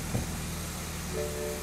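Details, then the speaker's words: 2013 BMW X3 after repair of a crank-no-start condition: engine catches and settles into a steady, smooth low idle with a chime sounding over it; running normally, only the tire pressure light on. "So right there, as you can hear, the engine is running. The engine sounds good, okay?"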